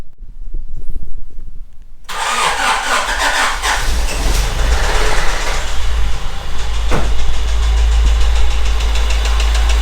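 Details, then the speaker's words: 1989 Honda Prelude 3rd gen, cold start, manual in neutral; uneven idle with faint irregular tick from the bottom end; owner suspects rod knock from a damaged rod bearing, not confirmed; engine ticking at idle. "it's a ticking sound so you start hearing ticking sound when the engine is on"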